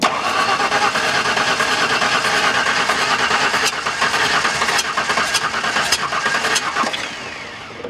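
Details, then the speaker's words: LT-engined van, cranking with starter fluid in the open throttle body: starter churns unevenly about three beats a second with pops and backfiring through the intake, never starts; ignition timing suspected way off. "all right think I know what's going on it is burping up through the intake so I think the timing is way way off"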